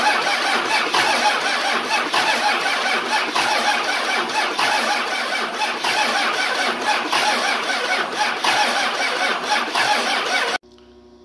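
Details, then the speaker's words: 24V Cummins standalone-wired for a Dodge delete swap, cranking on first start attempt with lift pump hot-wired: steady even cranking for about ten seconds without catching; crank no start. "so I'm going to I'm hoping this baby will start for me let's give her a try here nothing yet"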